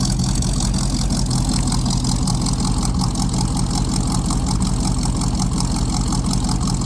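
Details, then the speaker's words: 1956 Buick barn find, 322 Nailhead V8 with carburetor, first start: deep, steady, quiet idle with smooth low rumble and no knocks or misses; carburetor not fully happy but engine idles healthy with good oil pressure. "Oh, started right up. Oh, this thing's quiet. It's so quiet. I don't even know if you guys can hear the thing running. Wow. I don't think the carburetor's too happy, but it is idling. Sounds good."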